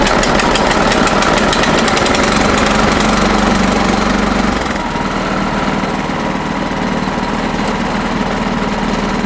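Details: New 2022 Simplicity 10/24 snow thrower, Briggs & Stratton single-cylinder, first-ever start at about 3/4 throttle, started in two pulls: catches and settles into steady even fast patter, no misses or knocks; normal running.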